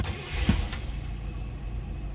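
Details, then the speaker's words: 1964 Buick LeSabre 4-door hardtop, 300 cubic inch V8 with automatic, 38,553 believed-original miles; short crank, then it catches at once and settles to a low, even rumble with no stumbling. Clean, easy normal start. "See how easily that started, or can you hear it run? It is running."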